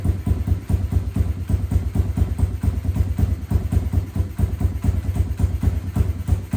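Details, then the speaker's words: SSR125 single-cylinder pit bike, first start after rebuild with compression restored: steady, even low idle putter, no knocks or rattles. Slightly smoky (owner suspects valve seals or residual oil in head); not idling quite right, needs bigger pilot jet. Normal idle. "quiet it sounds pretty good it sounds so much better than it did"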